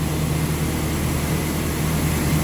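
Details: Toyota Hilux, 370,000 km, after harmonic balancer replacement, during coolant flush: smooth even low rumble with no knocks, ticks or wobble; healthy steady idle.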